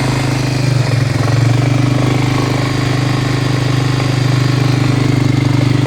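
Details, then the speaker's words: Steady even engine hum with smooth drone and no rustling from an ATV's CVT variator after reassembly; the earlier rustling noise was traced to a failed bearing, now replaced, and the variator runs quietly. "а сейчас все уже мягенько работает все хорошо проблема была именно в подшипнике"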